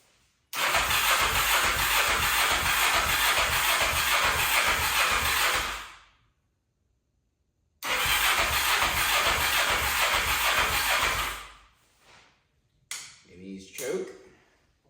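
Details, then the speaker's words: 1991 Kawasaki Ninja 500 engine in a mini bike, dual carbs with 35 pilot and 115 main jets (maybe rich or lean): two long bursts of rapid even cranking that never catch; cranks but won't start, engine to be replaced. "I don't think it's going to do it. Yeah, looks like we're buying a new engine."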